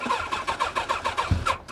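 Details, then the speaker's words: Motorcycle at a salvage auction yard cranking: quick, even starter pulses around eight a second with one stronger thump partway as it almost fires; never catches, so it cranks but won't start. "right there she's right there you hear it she wanted to fire up she wanted to fire up"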